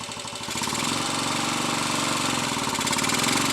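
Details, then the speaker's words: Royal Enfield 250 five-speed motorcycle, tested in first gear with throttle opened against the brake. The engine note swells and holds firm with no slipping or knocking: a normal pull under load. The gearbox problem appears to be a badly worn third gear. "Hear the engine pulling when I open the throttle and put the brake on, so first gear is working okay."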